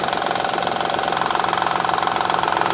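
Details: 2007 Honda Odyssey Touring 3.5 at idle: fast, even ticking and slapping with a ringing metallic edge from the timing belt side. Damaged timing belt tensioner lets the belt move side to side; tensioner and belt replaced.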